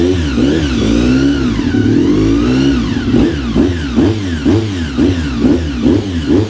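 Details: Honda RC45 RVF750 V4 after spark plug replacement (old plugs very bad; injectors tested fine): crisp blips rising and falling cleanly about twice a second, even firing, no misses or rattles; running healthy.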